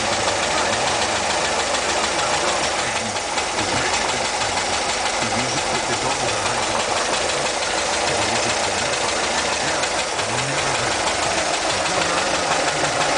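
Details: Idle with steady hiss over a slightly unsteady engine note, noticed while changing fuel lines; points to a vacuum leak.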